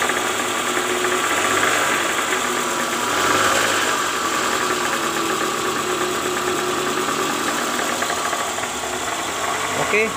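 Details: 2009 Toyota Alphard ANH20 with a 2AZ-FE engine, cold morning idle, heard near the oil pan: harsh rattly clatter that lessens once warm, from a loose, worn No.1 balancer shaft gear; worn balancer shaft gear.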